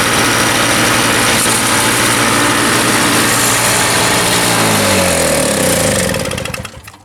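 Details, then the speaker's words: Toro CCR 3000 GTS two-stroke snowblower after fitting the correct replacement carburetor and setting the governor: a steady, even high-revving buzz at about 3,500 rpm with no surging, winding down smoothly at shutoff. Normal running. "now it works exactly as it should, and I get a good about 3,500 RPM, which is right where I want it."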